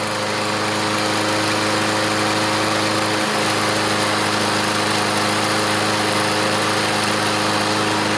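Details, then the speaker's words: Craftsman push mower with Briggs OHV engine, previously over-revving after a mechanic's repair, now serviced, running cold on its own. Smooth, even high-speed drone holding constant pitch with no surging or hunting: normal governed speed. "Let's test it we'll get to that later here we go on its own sounds good"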